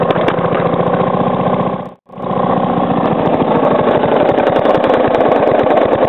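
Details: Three-year-old Briggs & Stratton lawnmower engine with fresh oil, first start after sitting 6–8 months over winter, slowed almost to stalling: a steady knock about every quarter second under the exhaust beat; owner suspects improper combustion or a worn loose part.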